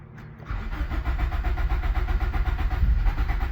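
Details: 1997 Nissan 200SX (B14) sat about 10 years; steady cranking about four beats a second with rough pulses as it briefly catches on brake cleaner sprayed into the intake near the throttle body; the engine is getting no fuel from a failed pump.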